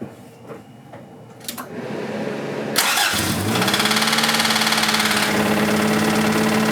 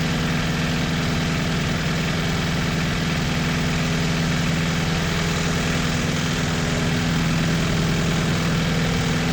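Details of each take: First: 1986 Toyota MR2 AW11 salvage-yard parts car, after vacuum leaks were fixed: engine cranks, catches and settles to idle with a steady sharp knock about four per second; bad rod knock, engine declared toast. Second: 1986 Toyota MR2 AW11 parts car at idle after the last of many vacuum leaks was fixed: even, steady idle with a regular low pulse, no stumbling or hunting. Starts and idles normally.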